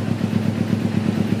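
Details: 2009 carbureted Kawasaki Ninja 250 R twin with Akrapovic exhaust: crisp, evenly spaced exhaust beats with no misses or popping as the throttle is opened; both cylinders firing cleanly, normal revving.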